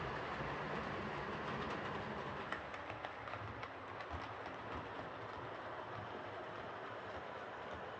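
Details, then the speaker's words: Hornby R2553 Princess Coronation Class "City of Bristol" model locomotive after repair (mangled coupling rods fixed, replacement smoke deflector fitted), on test track: light, even running with steady rail clatter about four beats a second; runs smoothly and healthy. "so there we are that's this Hornby princess coordination class all sorted out uh it's a really nice looking locomotive and it's it's now running really well"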